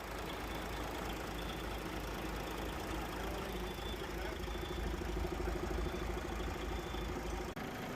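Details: DAF XF MX-13 heavy diesel ticking over with a steady, even low rumble, no knock or stumble, after the injector fault behind the no-start was identified; idle sounds healthy.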